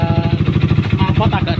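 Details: Honda CBR150/CB150R with TDR racing exhaust at idle: rough uneven rattling chatter from the right-side clutch area, traced to worn clutch basket rubber dampers.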